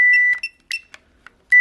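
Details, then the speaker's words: Hyundai seatbelt warning buzzer module, removed from the car and bench-powered with a power probe: a clean, high beep about a third of a second long, repeating with faint clicks between, showing the buzzer works. "See, and you can hear it beeping, so you know that component is working."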